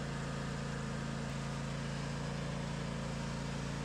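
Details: Craftsman DLT 2000 riding mower after swapping a blown Kohler Pro 20 V-twin for a Harbor Freight Predator 708cc engine, rewired. Engine settles into a steady, even low thrum with no misses, knocks or hunting; running smoothly.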